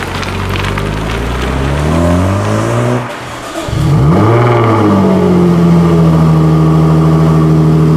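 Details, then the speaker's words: Used Jaguar F-Type with switchable sports exhaust: deep exhaust rising and falling through several revs, then a steady drone; smooth, even, healthy exhaust note under revving. "You will notice that the sound is completely different to what you might expect. When people talk about F-Type, they speak very much about the sound."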